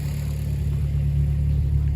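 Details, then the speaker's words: Warm Mazda 3 after new NGK spark plugs and breather filter mod, revs recorded from behind the car: smooth, even low growl under light revs, no misfire stumble or ticking; healthy. "uh gave it a few revs off camera and you can hear the you can hear the intake sucking finally so I'll set the camera up and I'll rub it for you guys and you can hear it"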